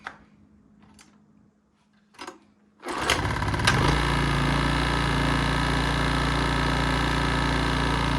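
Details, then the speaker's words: 1980s Honda EX650 flathead generator, formerly hard to start, after choke cable fix: a single pull and the engine catches immediately, settling into a steady, even idle with no misses; normal start and idle. "First pull. First. That was awesome."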